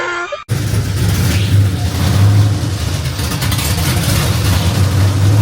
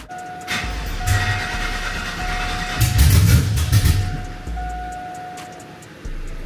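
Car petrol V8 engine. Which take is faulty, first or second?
second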